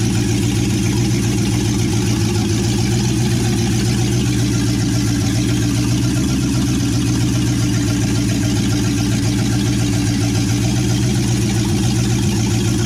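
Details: 1963 Chevy C10 with 355ci small-block V8 (350 bored .030 over), Turbo 350, reportedly low miles, second start after years sitting: deep, loud, even rumble from open manifolds, steady with no misses or surging; temp gauge not working, normal idle.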